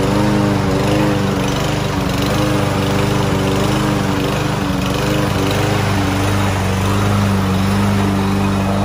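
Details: Land boy lawn mower, sat unused almost a year and wouldn't start, after cheap bottled-additive fix: small engine holds steady even buzz while cutting, pulling cleanly without surging or misfires; healthy under load.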